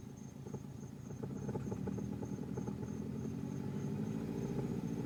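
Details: Subaru Legacy GT petrol engine at idle up to about 1,200 rpm, with an uneven thumping of three or four soft knocks a second over the low hum.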